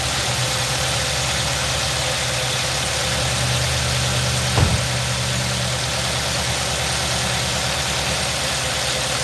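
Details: 2018 Nissan NV 3500 5.6 L V8 with sludged engine, after new plugs and motor flushes; lumpy stumbling idle and shake, misfire from an ignition coil that has been failing too long; earlier tap and rattle gone.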